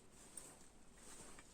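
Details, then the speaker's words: Repaired gas torch after resealing with lithol grease, tested on a gas canister: only faint room noise and no hiss, confirming the seals hold and no gas leaks. "ничего не шипит все четко друзья на убедились что горелка не пропускайте"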